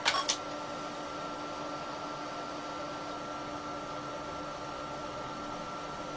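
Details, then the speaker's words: Late-1980s Apricot XEN-S PC booting DOS boot disk; steady quiet floppy motor whir with faint click at each end, no head stepping, no boot attempt; owner suspects faulty floppy drive or drive controller, unconfirmed. "so i can hear the motor going in the um disk drive but i cannot actually hear the head trying to move or anything it could be we've got a faulty disk drive we could have a fault with the drive controller"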